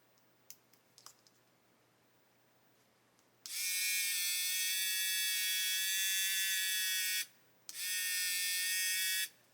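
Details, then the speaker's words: Hachette Avro Lancaster B.III model motor tested with battery pack and circuit board: thin high whine runs about four seconds, drops out, then briefly restarts; motor stalling as its shaft binds. "So if I connect this up now, you can hear it running very, very slowly. Let's connect it to its bigger brother power pack and see what happens."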